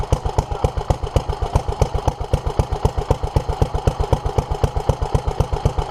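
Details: 1947 Petter A2 single-cylinder stationary engine after Zenith 24T2 carburettor ultrasonic clean and fuel pipe replacement: slow even thump about four beats a second, steady with no misses; runs cleanly, though a leak remains underneath.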